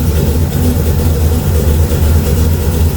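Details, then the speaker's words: LS V8 Camaro with a freshly built, leak-checked 600 HP-series carburetor (engine wants about a 750), being given a base tune: even, steady low burble with no misses or knocks; normal idle. "It's so funny, that engine wants a carburetor about like that, like a 750 or a little bit bigger. But I got a little 600 on it just to keep it choked down."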